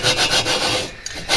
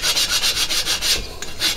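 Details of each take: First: Lapping a cylinder into its head bore on a VW horizontally-opposed engine with water-based lapping compound, pushed down and turned by hand; scratchy gritty rasping strokes, still rough, surfaces not yet mated. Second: Lapping a cylinder to its head bore by hand with water-based lapping compound: even back-and-forth strokes about four a second, tone now smooth and consistent, no longer scratchy; cylinder mated evenly to head.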